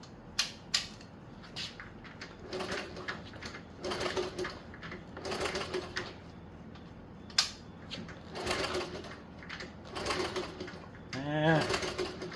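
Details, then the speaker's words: 1977 Honda CT70 sitting 20 years, spark test with plug grounded and key on: repeated clattering cranking bursts with no firing, good compression but no spark; spark plug wire to be checked next. "Not seeing spark. Not surprised. We'll dig into that next."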